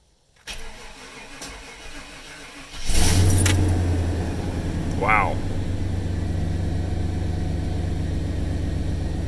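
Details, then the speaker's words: 1995 Chevy Suburban, first start after a cylinder head rebuild, timing not yet set: a short crank catches almost immediately and settles into a steady, even low idle with no misses, plus a known exhaust leak. Normal start and idle. "just running and it's running really smoothly definitely an exhaust leak that's purring right now that's purring like a kitten"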